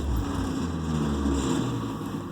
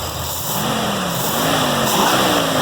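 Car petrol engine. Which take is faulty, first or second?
first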